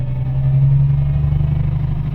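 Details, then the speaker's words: Isuzu Forward truck after fixing a P0336 crankshaft position sensor fault and clearing codes: deep diesel rumble rises smoothly under throttle with no stumble, and the gauge needle no longer fluctuates. "हमारी गाड़ी लगभग सही हो गई है। Accelerator करके एक बार check करते हैं इसको, सही है।"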